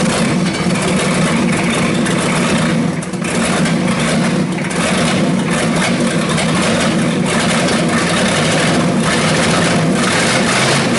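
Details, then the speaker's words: 1989 Ford 7.3 IDI non-turbo diesel, first run: chugs unevenly, stumbling and surging instead of holding steady idle; rough running, air suspected still in the fuel system. "it sounds like there still air in the system"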